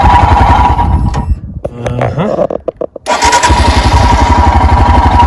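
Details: 2021 EFI Royal Enfield Himalayan single, cold, with choke/idle lever: steady thump dips briefly, then picks up and settles into an even fast idle of about 1200 rpm; normal cold fast idle warm-up.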